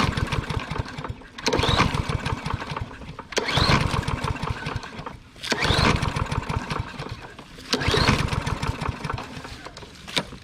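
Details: Troy-Bilt or Yard Machines lawn mower of unknown storage time, recoil pulled four times, short chuffing bursts that die without firing; won't start, cause not confirmed, air filter and starting fluid checked next.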